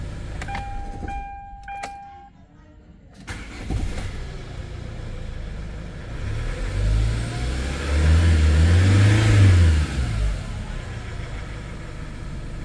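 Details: Hyundai Starex diesel with a prior no-start problem, after scanner diagnosis: a few short beeps, then catches and revs up and down cleanly with quick throttle response, no misfire or knock.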